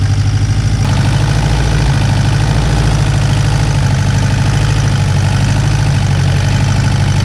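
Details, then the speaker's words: Turbocharged Honda S2000 on stock internals, warm idle: faint uneven light rattle over the low hum; owner suspects the tensioner and plans to swap it, cause unconfirmed. "so you could hear it in here a little bit better and yeah a little rattle so yeah it's more or less than noise a little rattle so gonna swap out that tensioner see if that fixes the issue"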